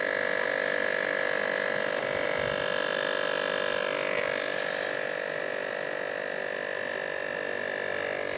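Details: Fridge compressor under a pressure test with its outlet closed: steady mid-pitched hum with faint fast pulsing as it strains under a heavy load, testing whether compression is weak or reversed; result unconfirmed.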